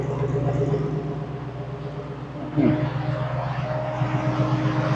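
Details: Jeep Wrangler JK at its first start after a 200,000-mile overhaul swapping the 3.6 L Pentastar for an AMW 505 392 Hemi V8: deep, even V8 burble at idle with a steady lope and one brief blip, clean with no knocks or misses; normal idle.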